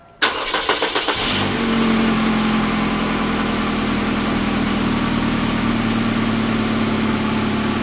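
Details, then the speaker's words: 1999 Grand Am 2.4 Quad 4 (LD9) first start after engine rebuild: cranks, catches, settles to steady idle with faint puffing tick; small exhaust leak at downpipe donut gasket, not replaced, to be fixed with converter downpipe. "but a touch of an exhaust leak i'm going to replace that donut gasket i didn't replace it on the down pipe because i'm getting ready to do the converter downpipe"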